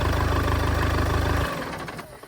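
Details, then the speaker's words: Damaged Audi A3 2.0 TDI saloon started after finding a damaged starter motor wire: steady, even diesel clatter at idle with firm low beat, then switched off; runs and sounds good, normal idle. "She runs and it sounds good as well."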